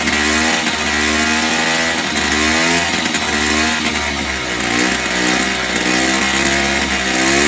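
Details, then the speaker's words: 1970s Puch Maxi E50 50cc two-stroke moped engine bench-started with parts missing, carb dripping slightly: uneven buzzing, revs hunting up and down; runs but idles roughly, owner thinks carb needs cleaning and tune. "but i think the carbon needs to clean out and tune up anyway but i managed to get ticking over of sorts"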